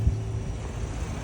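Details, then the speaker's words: 2022 Chevrolet Silverado V8 on test drive after lifter and pushrod replacement for lifter noise: low, steady rumble with an even beat, no ticking or clatter; nice and quiet, normal running. "Took it for a test drive real quick. Nice and quiet."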